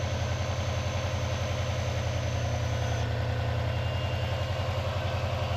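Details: Non-AVCS JDM Subaru EJ205 boxer, restarted after reassembly, following a timing belt and water pump job after which ticking had started; starts reluctantly, then steady even low idle with smooth rhythm, zero knock, piston slap or ticking; normal idle.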